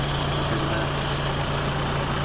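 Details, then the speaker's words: Peugeot 306 Meridian 1.8 16v petrol, sat through lockdown, new battery fitted, just started: even, steady idle with a smooth low hum and no ticking or knocking; idling cleanly. "and then if i just go and start it up you'll hear starts incredibly easy and has no real nasty knocking noises or anything like that"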